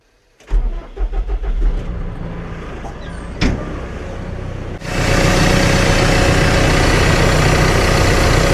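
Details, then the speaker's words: Cat TL1055C telehandler diesel after turbo replacement for failed compressor shaft seals and an oil change: cranks briefly, catches cleanly and settles into a steady, even idle; a healthy start, checking for leaks while warming. "yeah I just want to be checking for leaks now make sure everything is working right I'll let it run for a bit and warm up"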